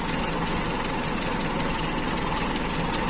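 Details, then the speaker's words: Carbureted engine after FMT carburetor repair with a very sensitive air-screw setting at its optimum opening, cold start on fuel still mixed with premium: dense, busy idle with a loose, uneven beat, steadying as it warms. "tapi ini nanti kalau panas pas juga semprotan bensin melalui pompadodo panas ini semakin stabil"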